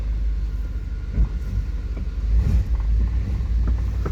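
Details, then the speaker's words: 1993 GMC Yukon hard-starting after sitting all winter: deep, uneven rumble with irregular stumbles and surges as it catches; running rough right after start, which the owner suspects is due to old stale fuel. "Alright guys, we're going to do a startup after sitting for so long. It's got old fuel in it, so probably why it ain't running too hot."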